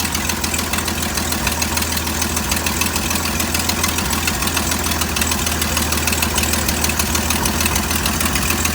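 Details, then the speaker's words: 1972 GMC tow truck parked since 2003, first run after sitting 22 years: light, fairly regular tick about three times a second over a steady idle; a small exhaust leak is suspected but unconfirmed. "That little exhaust leak, it sounds like. It does, yeah."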